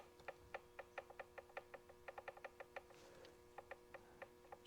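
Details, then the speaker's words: 1929 John Deere GP governor/fan shaft bevel gears with heels aligned, rocked by hand. Small light ticks, about five per second, showing just enough backlash to tick; normal gear lash. "the amount of backlash that you want to have should be just enough to make that little tick"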